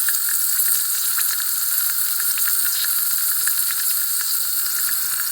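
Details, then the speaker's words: 2008 Triumph Tiger 1050 leakdown test at 25 psi regulator input pressure: a continuous frying-pan sizzle with crackly spits as air escapes from the cylinder, with bubbles also seen at the inlet ports. "well I wanted to check the compression it's spitting like a bloody frying pan yeah so it sounds like a frying pan"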